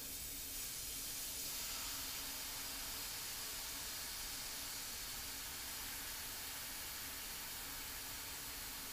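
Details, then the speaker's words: Pressurised central heating radiator being bled; soft steady hiss of air escaping the bleed valve as water fills the radiator. "you can hear the air rushing out and I can feel the air rushing out"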